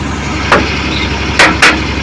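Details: Suzuki Multicab F6A engine that would not start, now running after carburetor overhaul, cleaning and float valve adjustment: steady low hum holding even through a few sharp handling knocks; smooth idle, no misfire.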